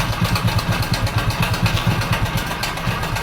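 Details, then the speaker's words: Hero Splendor Pro motorcycle also blowing white smoke, run with no engine oil at all: loud rough idle with fast metallic clatter on each firing pulse, timing chain and roller worn from oil starvation. "ज्यादा sound कर रहा है sound सुनने आ रहा दोस्तो य पर गाड़ी कर क्या है इसमें इंजन ल जरा भी नहीं है और इंजन यल बिना इंजन ल का चलाने के कारण गाड़ी का सारा जो टाइमिंग चन वगर रोलर वगर सारा कुछ कर चुका है"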